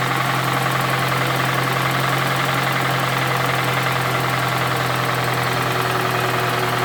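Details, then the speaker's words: Toyota Camry with a 2AZ 2.4L engine at 220,657 km, smoking from under the valve cover: rough, loud roaring idle with an irregular knocking underneath, about three or four a second, from a badly worn engine; knock at idle, cause unconfirmed. "сейчас я поставлю камеру на подставочку чтобы вы смогли звук слышать работающего мотора и как он орёт он просто рвет это просто ужас"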